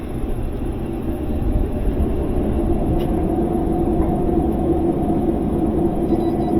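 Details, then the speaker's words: GE top-load washer in spin test mode: two squirts of water, lid locks, then a heavy rough grinding rumble builds as the tub spins up, from worn tub bearings; not economical to fix. "and you hear that grinding sound. That grinding sound means that the bearings on this machine are shot. It's not going to be fixable."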